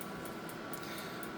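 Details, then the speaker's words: Surgical xenon light source powered up with the arcing bulb removed, 12 V present, display on: steady, even cooling-fan whir with constant tone, no rattle or scrape; fan runs normally. "so the bulb is not in it I have power you can hear it I have fan so the fan is Big indicated we have 12vt and my front display is on"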